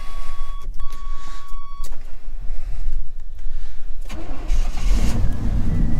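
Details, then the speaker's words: Old truck after repair of its wiring and a bad hazard/turn-signal combination switch: brief crank, catches at once and settles into a steady, silky-smooth idle with no knocks or misses; normal start and idle. "this might be an old truck but man she runs good silky smooth look at that"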